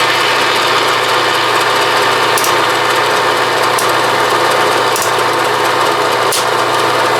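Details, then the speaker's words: Bridgeport mill quill power feed running while the down feed is resisted by hand; steady whir broken by sharp clicks about every second as the clutch slips, before the set screw was turned in about 3/4 turn to fix it. "Now watch me turn it on, and I'm going to resist the force of the down feed, and you'll hear it clicking and moving"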